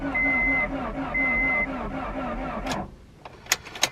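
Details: Front-wrecked Honda Prelude, cranked after splicing the broken ECU-to-alternator output wire: even rhythmic cranking with a warning chime, never fires; cranks but no start, cause suspected, not confirmed (low power next checked with jumper cables).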